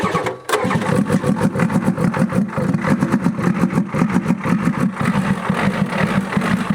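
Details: 1994 Ford F-Super Duty dump truck that sat for years, started with the air cleaner removed: long, heavy rhythmic chugging with uneven puffs that never settles into a steady idle; a hard start, and it later ran with oil pressure and a little smoke.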